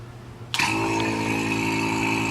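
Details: BMW E36 AC system: vacuum pump switched on, settling straight into a steady, even hum with constant buzz while gauges pull negative pressure before a 30-minute evacuation; pump running normally.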